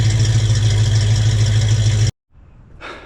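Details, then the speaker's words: 1968 Ford Mustang 302 V8 after JBA tri-Y headers, X-pipe and dual exhaust install: deep even burble, smooth steady beat, fairly subdued; exhaust quieter and backfiring/popping essentially gone. "All right, so we're done. It sounds decent. It did what I wanted to do and quiet it down some."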